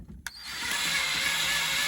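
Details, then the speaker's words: 1985 Ford Ranger 2.8 with no oil reaching the driver's-side rocker shaft (suspected wrong cam bearing): drill driving the oil pump through the distributor hole with a 6mm socket gives a strained, lagging whir; drill bogging while driving oil pump. "And you can hear it definitely lagging."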